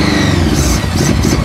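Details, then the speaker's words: 1982 Honda Goldwing GL1100 flat-four barn find, first run after sitting 20 years, float bowl stuck: smooth, even, whirring idle with no knocks or misses; engine runs healthy. "good news is it runs you heard it run now we got to oh there's a lot of little stuff to get together to fix yes number one being stuck float Bowl but she runs actually with engine sounds pretty good it does it wasn't knocking and carrying on"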